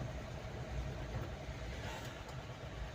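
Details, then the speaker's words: Mahindra Bolero diesel after fixing low pickup, misfiring, late starting and knocking by checking and servicing Delphi injectors 28535488, warning light now off: steady even low rumble while driving, no knocking; runs smoothly and quietly. "तो चलने में भी बिल्कुल okay silent कर दी है"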